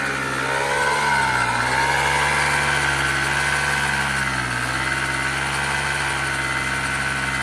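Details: 1986 Honda Spree two-stroke scooter, original carb ultrasonically cleaned: steady, even idle with a smooth buzzing note, no stumbling or dying; normal idle.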